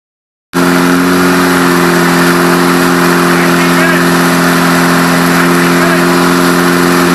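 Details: Rebuilt air-cooled VW Beetle flat-four catches and holds a steady high idle for cam break-in (2500 rpm, 20 minutes): a firm, constant, even drone with no knocks. A healthy break-in run.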